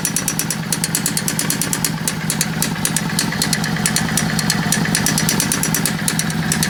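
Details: Yamaha V-Star 650 motorcycle: sharp metallic ticking above a lumpy idle, roughly three ticks a second in time with the engine; really bad engine sound, cause unclear.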